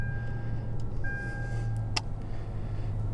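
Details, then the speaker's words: Lexus GX460 (2010–2023) with engine running, just after replacing the HVAC blower motor (part 87103-60400): quiet, even low hum with a faint steady tone and no rattling or scraping, already noticeably quieter; normal, healthy blower operation. "and I can already tell it's quieter wonderful"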